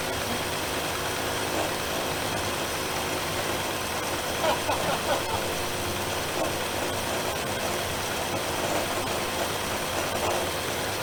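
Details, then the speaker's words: 1966 Dodge Coronet V8 first start after 20+ years stored: idles somewhat unevenly with a hissy note and occasional stumbles, leaking and smoking; carburetor needs work. "oh crap it's alive and idling and leaking from everywhere already i don't know if you can hear that but she's definitely leaking definitely smoking the crazy thing is it doesn't run half bad"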